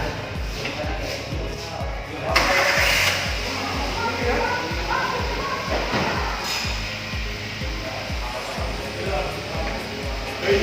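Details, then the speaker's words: Toyota Avanza EFI, K3-VE engine, before tune-up, started in neutral with handbrake on: cranks and catches, then settles into an uneven lumpy idle with irregular firing pulses; runs but won't hold steady, to be checked with scanner. "Setelah dinyalakan, mobil menyala tetapi tidak stabil."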